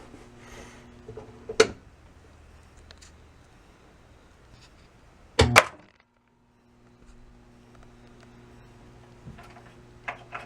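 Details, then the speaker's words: System 11 pinball machine after installing new board, powered on: quiet hum broken by three sharp irregular clunks seconds apart, a coil firing on its own; only some lights lit, cause unknown. "that was something new something fired and then went off or back off again don't know what that was but yeah there's still something funky going on"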